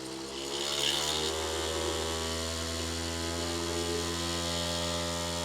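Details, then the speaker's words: Newly custom water-cooled PC filling its loop with water, pump on a Molex plug; a steady loud buzzing drone with low hum and rattly overtones; vibration blamed on the motherboard, then on loose fans and an insecure pump base. "A lot of vibration. Wow, this thing is loud. A lot of the vibration is like coming from our motherboard."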